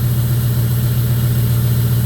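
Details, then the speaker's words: 2002 Jeep Grand Cherokee 4.7 HO V8 with melting coils and misfires, restarted so the unplugged coil is picked up again: steady smooth idle, no longer bouncing or running on seven cylinders. "Oh, she's not bouncing around anymore. She's got a nice smooth"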